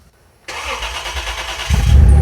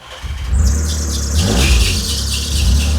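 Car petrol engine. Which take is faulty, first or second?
second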